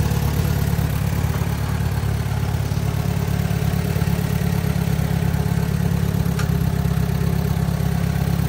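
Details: 1944 Allis Chalmers B four-cylinder tractor running after fitting a newly rebuilt FMJ magneto and setting ignition timing: deep, steady low rumble at even idle speed with no misses or knocks; running smoothly.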